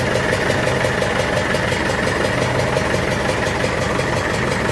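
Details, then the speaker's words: Massey Ferguson 65 diesel tractor after battery replacement, throttle slightly above idle to spin alternator faster: steady diesel clatter, even beat about three per second, no misses or knocks; normal fast idle during alternator test, aiming for about 13 volts. "We're going to put the throttle up just a little bit more than idle just so we can get that alter spinning a little bit faster. Make it sure it builds up fastly or nicely."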